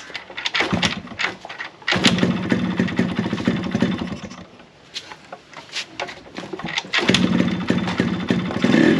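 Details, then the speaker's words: Yamaha RX100 two-stroke after replacing block and piston, silencer refitted: crisp crackle blipping up and settling back, no knocking or rattling through throttle changes, some smoke; earlier noise was the worn block/piston, not the crank; normal running. "मैं सोच रहा था noise आया होगा लेकिन नहीं लेकिन यह ब्लॉक पिस्टन का नॉइस था ठीक है जो की प्रॉपर्ली मैंने चेंज कर दिया"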